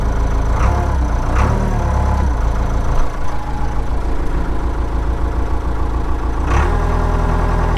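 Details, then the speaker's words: 1998 NMC-Wollard Swinger 3000 wheel loader, 80 hp John Deere diesel, just over 3600 hours, no glow plugs, started cold (about -20 °C) after block heater warm-up; steady low four-cylinder diesel clatter at even idle, no misses or knocks; normal diesel idle. "Let's uh get the key in here and uh fire it up yep that runs"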